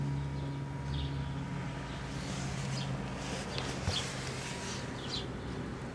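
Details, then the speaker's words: Philco Predicta pedestal tube television after recap, first test run with speaker rewired to correct pins; plays clearly with steady low mains hum under faint program sound, earlier gurgling gone. "Oh, that sounds better."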